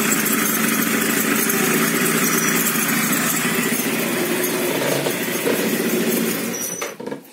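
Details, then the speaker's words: Yamaha two-stroke scooter, reassembled with bearing, engine warm; thin, unevenly repeating squeak, seemingly from the middle, absent when cold and appearing once warm; cause unknown, likely needs crankshaft replacement or thread repair. "Вот слушайте скрип этот. Я сейчас все собрал. У меня вот подшипник. Звук как-то и с той стороны, как с середины, что ли. И вот когда нагрелся, появился."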